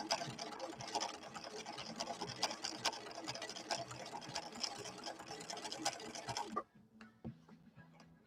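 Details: Late-1970s Husqvarna Viking 6460 Colormatic sewing machine running Cam B decorative stitch after cam stack repairs: even clatter about two strokes a second, no catching or grinding before stopping; running properly.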